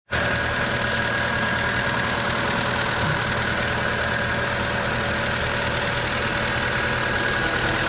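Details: Mitsubishi Pajero Mini H56A with 4A30 engine at idle: a metallic clanking tick over a steady hum, an engine knock. The owner suspects a lash adjuster or the bearings; source unconfirmed.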